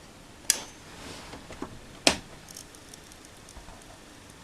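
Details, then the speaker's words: Zalman 460APS computer power supply from 2014 (Sparkle Power built): sharp isolated cracks and snaps every second or two over faint hiss, heavy 12 V ripple; arcing from failed capacitors, fixed by replacing them. "listen to the sound sounds like the transformers shorted or sparking or something"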